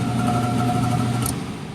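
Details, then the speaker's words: Carrier oil-fired furnace in a commercial warehouse with a failed control board, blower bypassed and wired straight to 120 V: a steady motor hum with constant higher whine tones over a low drone that sounds terrible; the fan motor is to be replaced. Noisy blower motor. "yep so which basically just took this they had a jumper for heating and cooling on the same speed we're going to replace that fan motor too because based on its its sound"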